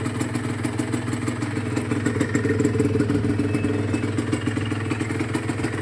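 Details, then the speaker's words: Rebuilt Honda NSR150SP two-stroke with an all-new bottom end, lightly revved during warm-up and run-in: uneven idle with a light metallic clatter, quieter than before; noise suspected at the piston/cylinder. "อ่าก็ยังมีเสียงอยู่น่าจะเป็นที่ลูกสุบเสื้อสุบนะครับที่มันยังมีสอนอยู่นิดหน่อย"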